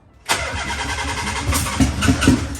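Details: 1992 Nissan 300ZX (Z32) with an engine just installed, first start attempt: the starter cranks in a quick steady rhythm with a few sharp pops, but the engine never catches; cranks without starting, cause unconfirmed.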